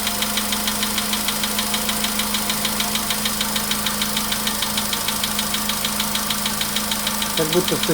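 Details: VW Polo Sedan, 99,329 km, cold start, 15° shown: light steady metallic tapping in time with idle, anvil-like knock, source unclear; knock worsening with mileage, fades after about 5–6 minutes.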